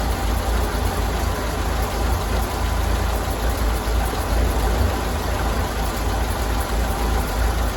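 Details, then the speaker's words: 1932 Ford Model B four-cylinder, idling after the spark plugs were cleaned, which the owner suspects caused the earlier failure. Low, steady, smooth idle throughout with no misses or knocks. "I think she was just telling me hey I find myself good started right up idling good I think we're okay"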